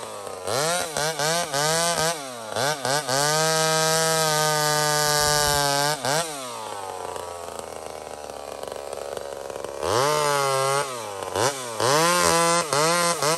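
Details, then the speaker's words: Small Homelite chainsaw, described as 28 full house on a stock chain, cutting wood: crisp high revs bog slightly under load and recover cleanly between blips. Normal cutting; pulling strong and healthy. "beautiful size of wood for that saw right now 28 full house stock chain so it's got way more potential to cut way faster it's a stock chain friends"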